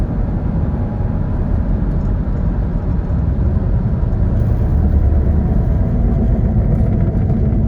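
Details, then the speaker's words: Saturn Vue 2.2, driving on road after rear spring isolator apparently fixed a clunk, check engine light on: even low hum under road rumble, no knocks, whines or flare between shifts; running and shifting really well. "Running and shifting really well."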